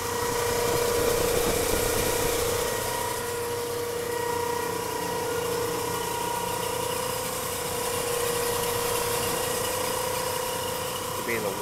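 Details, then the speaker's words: 1983 Chevrolet Caprice, warm idle below about 2000 rpm, occurs only when warmed up or hot outside: steady mid-pitched pump-like whine constant with engine speed; owner guesses water pump, source unconfirmed. "sounds like a pump but I don't know where it's coming from it happens only when the car is warmed up or if it's hot outside"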